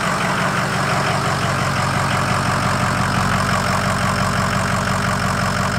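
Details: 2005 Ford F-250 6.0 Powerstroke diesel just fitted with an AFE Momentum dry-filter cold air intake, MBRP exhaust: steady idle with an even, rhythmic clatter and no misses or knocks; sounds no different than before, running normally.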